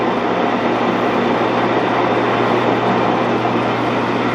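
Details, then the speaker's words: Axelson lathe motor running after lead identification, despite having sat out in the weather: steady, even hum with no knocks, rubbing or grinding, sounding healthy; the spindle brake is not working. "The spindle brake's not working, but this sounds pretty dang good. Being out the weather like it did, I think it sounds great."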